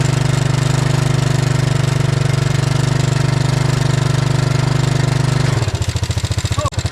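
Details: Yamaha Moto-4 Big Bear 350 four-wheeler after its destroyed throttle cable was fixed and idle corrected: a strong, steady drone settles into an even single-cylinder putter with no misses, running normally.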